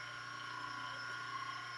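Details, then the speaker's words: 120 V motor newly wired to a forward-stop-reverse switch, running clockwise: quiet, steady hum with a constant tone and no growl or pulsing. Not getting hot. Normal motor run. "Motor turned on. Nothing getting hot. It's not blowing hot air out. Feels good. Sounds good."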